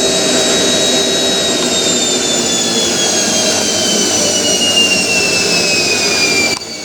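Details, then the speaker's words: Hotpoint 9530 washing machine, final 1000 rpm spin with new carbon brushes: strong steady motor roar with high screech sliding slowly down in pitch as brushes bed in, climbs slower; normal high-speed spin. "the new uh brushes make the motor sound like really powerful they [Music] do sounds proper doesn't it bit screechy but"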